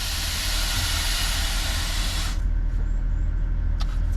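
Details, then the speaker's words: Range Rover L322 after air suspension compressor seal kit rebuild, lowering suspension: strong steady two-second hiss then clean cutoff; air relief valve venting properly, though air suspension fault remains. "so the air relief valve sounds good"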